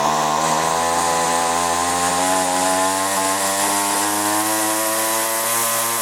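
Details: String trimmer started after a carbon-clogged spark arrestor screen was reinstalled, before carburetor low/high adjustment: crisp, even two-stroke buzz climbing steadily in pitch as it revs, no stumbling or popping; already running better.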